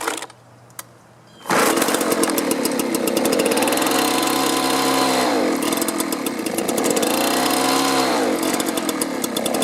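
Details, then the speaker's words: Two-stroke leaf blower stored over winter on gas at least a year old, primed: starts and revs high, then sags and surges unevenly. Runs on choke but bogs and quits off choke; fuel starvation. "well you can see i can get it started it'll run with the choke on but then when i turn it to run it bogs down and will quit running what that tells me is it's not getting the fuel it needs"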